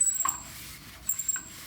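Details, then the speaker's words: 1993 Toyota Land Cruiser 80 front differential pinion turned by hand, stiff and hard to turn; two thin, high squeaks. It explains a persistent front-end squeak that rose with engine speed; the pinion bearing is suspected and backlash is out of spec. "you guys hear that that's totally not normal and this Land Cruiser has had a persistent squeak in the front end like it kind of goes and goes up with the speed of the engine so I knew it was something with the running gear"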